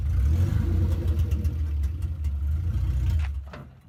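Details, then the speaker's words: Mk2 Toyota Supra with a 2JZ swap on a test drive: strong, even engine pull rising with revs and no driveline whine, clunk or grind. The earlier drivetrain noise is gone, though an intermittent severe misfire remains unresolved. "so Joe and Jack just took the super out for a test drive and it seems to be working okay now drivetrain noise is gone"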